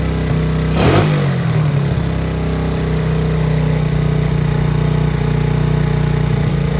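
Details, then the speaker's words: 2009 Coolster 125cc four-wheeler (Honda-clone engine), stored 9+ years, an estimated 5,000-plus miles, after new battery and coil and poor-condition carburetor attention: starts, blips once, settles into steady even idle without knocking; running. "well we set a goal and we reached it my goal set on the outset was was through place the battery in the coil and see if we can get it started"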